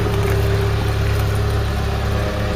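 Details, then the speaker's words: Mk3 Ford Cortina 2-door GXL automatic, revived after sitting in a field since 1983, warm idle after exhaust repair: steady low even burble, no exhaust blowing or ticking; healthy idle. "Sounding better with that exhaust being fixed."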